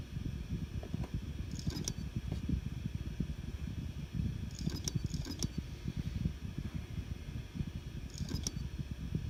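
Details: Seagate Barracuda Pro 8TB hard drive: sharp metallic clicks like scissors closing come in small clusters every few seconds over a low hum; Seagate says this sound should not be there, cause undetermined.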